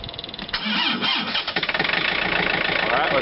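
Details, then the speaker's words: Tractor (2720 with 110 TLB) diesel cold start at about minus 12 to 13 degrees after glow plugs: starter cranks briefly, then catches and settles straight into an even steady idle clatter; starts cleanly. "So let's turn it on. Try to give it some glow plugs here. See if that poor girl will start up."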